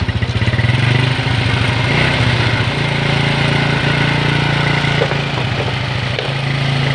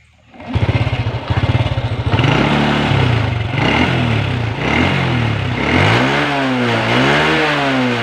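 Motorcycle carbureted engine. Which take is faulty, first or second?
first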